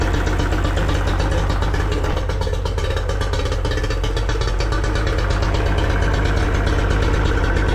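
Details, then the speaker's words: Yamaha 40 hp two-stroke outboard running rough at low idle with uneven, stumbling beat, blue smoke and unburned fuel; cuts out or bogs under load, pointing to fuel delivery or ignition problem. "What happens at idle or low speed? The engine runs a little bit rough and has blue smoke and signs of unburned fuel in the exhaust."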